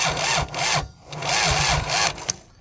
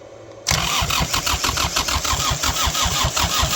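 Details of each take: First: Kubota 3450 tractor, abandoned for years, cranking slowly at about two turns a second without firing; water in the engine or a weak battery suspected; smoke seen from the manifold; slow cranking. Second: Kubota 3450 tractor diesel, abandoned for years, catches with hard uneven thumping about three per second after fuel work, then settles and runs; run briefly since it has no coolant; normal start and idle.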